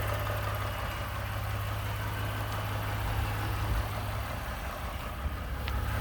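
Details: 29K-mile 2018 Ford F-150, 2nd-gen 3.5 EcoBoost V6, at idle: a loose, uneven ticking knock about three per second over the low idle. The owner cranks longer to prevent cam phaser startup rattle. Engine knocking at idle, cause undetermined.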